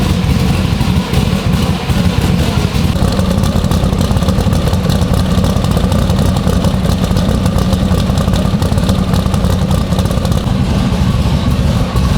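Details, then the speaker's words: Fresh 540 big-block after static timing check in the computer: loud, deep, lumpy idle staying even and steady, no misses or knocks; sounds better than before, no trouble idling. "I think it sounds a lot better than before what do you think does it sound better I can't really hear it in the car that way I mean that I know it doesn't have any trouble idling"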